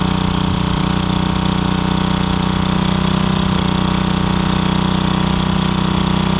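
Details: Craftsman wheeled two-stroke weed trimmer, long-sitting with missing spark plug, started with a few squirts: loud, steady buzz at constant speed, no stumbling or surging; running cleanly and evenly.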